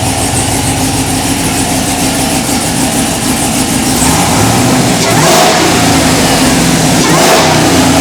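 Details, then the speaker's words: Third-gen Camaro IROC-Z with a freshly uploaded tune, revved by hand throttle: the engine spools up and drops back, with a sharp puffing tick riding the exhaust note from an exhaust leak. "Sounds pretty good. Except for that exhaust leak that I can hear."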